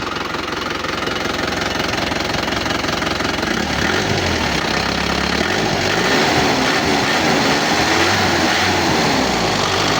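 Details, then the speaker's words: Isuzu Panther turbo diesel after repair of pistons melted by overheating and stuck injectors, idling cold with no thermostat fitted; even, smooth clatter with no miss or odd knock, slight white smoke from cold running. "Suaranya adem, empuk. Ada sedikit asap putih. Maklum dingin dan juga enggak ada termostatnya."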